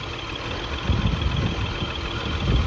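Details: 2002 BMW X5 3.0L AWD, new battery and spark plugs, multiple misfire: lumpy uneven idle with irregular thumps and surges; fuel pressure 44 PSI, intake runner motor popping; cause unconfirmed.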